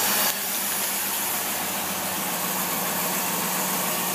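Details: Lasalle engine with rebuilt Carter two-barrel carburetor idling around 500 rpm, fuel at three pounds pressure, computer reading steady at twelve: smooth, steady hiss and hum, no hunting or stumbles; healthy even idle after rebuild.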